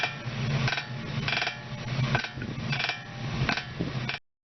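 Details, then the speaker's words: Repeated creaky squeaks about every 0.7 seconds as the suspension works, from a worn ball joint; the squeak starts as slight vibration at the joint that is amplified by connected parts. "In reality, this squeaking noise does not occur directly inside the joint. A slight vibration occurs at the joint first and the vibration is amplified and connected apart resulting in noise."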